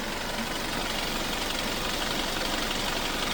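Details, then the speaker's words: Ex-police BMW G31 Touring with direct injection, warm at operating temperature, engine mount damaged: very quiet, even idle with a fast, light ticking of about four a second from the injectors. Nothing abnormal; normal idle. "You can hear the injectors ticking because this is direct direct injection engine, but other than that, it's super quiet."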